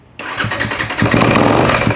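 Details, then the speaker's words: Kawasaki KX250F dirt bike that won't start: on cranking, a loud, rattling mechanical clatter that it shouldn't make. "Oh yeah, it's making lots of noise. Shouldn't make."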